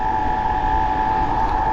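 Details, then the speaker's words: Bafang BBS02 mid-drive motor run on 72V after damage, riding at about 800 W peak, sensor around 38°C and rising: loud steady high whine with a rough edge while pulling hard; cause not yet found. "all right so this is about 800 WTS it's making some"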